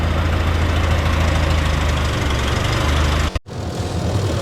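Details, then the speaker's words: 1929 Austin Heavy 12 at idle, vacuum pump drawing fuel from the tank, cracked head weeping a little coolant: low, steady, even beat with no stumbles or misses; normal idle. "we reckon it's drawing fuel from the tank and it's not misfiring which is an absolutely cracking result"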